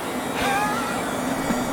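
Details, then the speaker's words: 1970s Centurion minicomputer Hawk 10MB hard drive: heads load out and fly over spinning platters, steady hum under thin gliding whistles, no scraping, ready light on; normal head load. "The heads loaded out. They're now flying over the platters. we have our ready light on here."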